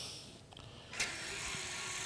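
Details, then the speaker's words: Tesla Model S rear subframe with the left electronic parking brake caliper commanded over USB: sudden high, hissing electric motor whir as the caliper clamps. Normal parking brake apply. "L applies the left parking brake, and I can see now that it's applied. And so I'm betting that capital L will release it."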